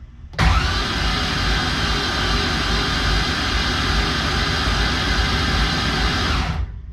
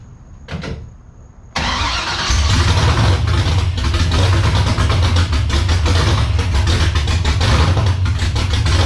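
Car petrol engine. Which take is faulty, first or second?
second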